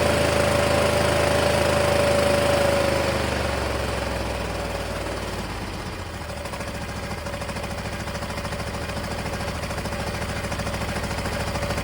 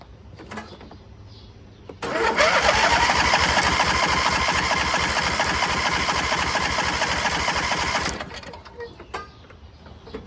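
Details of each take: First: MTD Gold garden tractor, 26 hp Briggs & Stratton. After the fuel shutoff solenoid was hooked up and a proper 20 A fuse fitted, it starts easily on choke and runs a regular, even beat on both cylinders. Previous owner suspected lost spark; ignition coil not the problem. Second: MTD Gold garden tractor with a 26 hp Briggs & Stratton engine, left sitting; the previous owner believed it had lost spark. Spark is confirmed, but six seconds of cranking at about three turns a second give only weak catches. The fuel pump works. Fuel starvation.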